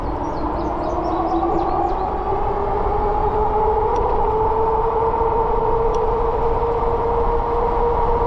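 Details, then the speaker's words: Haoqi Cheetah e-bike hub motor upgraded with a Grin Phaserunner V6 controller, 53 V battery, accelerating: smooth electric whine climbing steadily in pitch as speed rises. Clean, even, healthy motor under power. "it head up bunny you can really hear that motor now"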